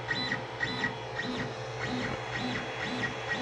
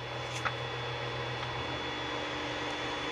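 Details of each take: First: Creality Ender 5 Plus 3D printer on its stock board, auto-homing before a v2.2.1 silent board upgrade: harsh tonal motor whine with rhythmic buzzing pulses about twice a second; loud stepper motors from the stock drivers. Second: Creality Ender 5 Plus 3D printer after upgrading to the v2.2.1 silent mainboard, during bed leveling: soft steady low stepper hum as the bed moves with faint power-supply fan hiss, smooth and quiet, normal.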